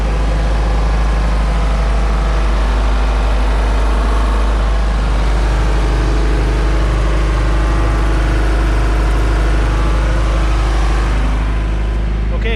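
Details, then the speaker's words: 1999 Chaparral 180 LE bowrider with 3.0L Mercury four-cylinder, first start after six months stored in a shed: steady, even low rumble with smooth firing and no knocks or misses; healthy normal idle. "so let's call that good sounds like it's gonna idle just nice"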